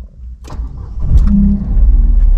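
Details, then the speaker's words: Copart category S salvage 2017 Renault Clio Mk4, first start attempt after clearing 33 stored faults with diagnostic tool: brief crank fires and settles into an even low idle within seconds; starts and runs normally. "yes we have a runner"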